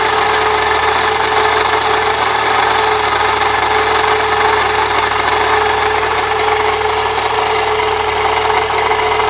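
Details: 1998 Saturn SL2 at idle: a steady raspy scraping/grinding from the belt area. A shorter belt bypassing the A/C compressor pulley did not stop it; water pump replacement is the suspected next step, unconfirmed.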